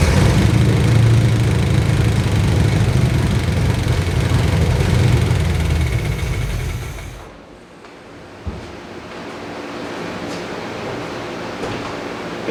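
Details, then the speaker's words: Chevrolet C20 pickup, long-abandoned and being revived, started with distributor loosened for timing set by ear: heavy, uneven low rumble at idle that then drops away; rough idle, timing later checked okay, owner suspects carburetor. "uh it doesn't sound better so let's try a little timing adjustment here and see if that has any sort of effect on"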